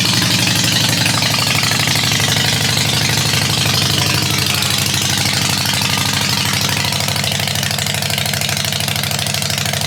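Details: 2007 Harley-Davidson XL883, 13,541 miles, a non-running theft recovery, now started; steady loping V-twin idle with an even potato-potato beat and crisp exhaust pulses, running clean and healthy. Normal idle.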